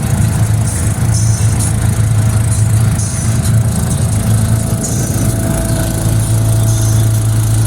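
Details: 2001 Bayliner Capri boat engine at steady idle: deep, slightly choppy rumble; exhaust leak suspected, not confirmed.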